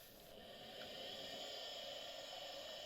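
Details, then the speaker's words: Very old Quantum ProDrive IDE hard drive, run with only a single capacitor left on the power input after one was lost: a steady high whine and airy hiss with faint light ticks at spin-up. It initializes normally and is detected by the BIOS. "we can hear the initialization so everything appears to be fine the hard drive is detected by the bio"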